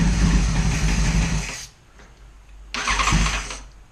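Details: Neglected 2011 Yamaha FZ1 motorcycle, first start after sitting: a very loud exhaust bark rises through a hard rev, then after a short pause a second blip; the engine fires and runs.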